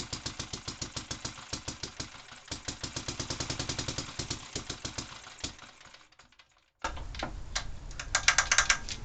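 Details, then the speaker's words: Barford Atom's small single-cylinder engine, restarted on a little fuel, propped on bricks, recorded right next to the muffler: crisp, regular firing about three beats a second, stalls briefly then picks back up; good spark, runs cleanly. "this sounds like it's got a good spark"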